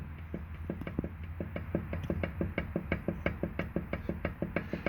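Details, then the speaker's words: Hyundai Sonata EF (TagAZ), 180,000 km, front driveshaft rocked by hand: quick hollow knocks about three a second over a low rumble from CV joint play of about 5 mm; knocking over small bumps cured by fitting original driveshafts. "вот вверх-вниз точно такой же звук чуть по глуши здесь у нас такой имеется люфт"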